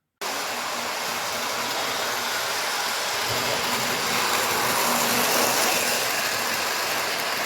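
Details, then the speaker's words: Postwar Lionel 2055 locomotive after the worn, loose armature cover plate was swapped for a tighter one: steady, even whirring around the track, with no gear-slipping grind or jerky, hesitant running. "well changing that cover plate seems to have helped he seems to be running around the track a lot smoother now and not so jumpy and bumpy and hesitant"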